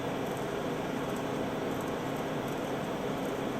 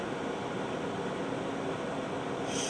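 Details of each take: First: Cipher front-loading 9-track reel-to-reel tape drive: constant whirring hum of reels shuttling tape back and forth without ever spooling, then an error and tape won't release; caused by gummed, stuck encoder bearing on the take-up arm. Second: Cipher front-loading 9-track reel-to-reel tape drive: steady whir of reels and blower brightening to a sharper hiss as tape takes up; loads normally, spindle bearing slightly iffy.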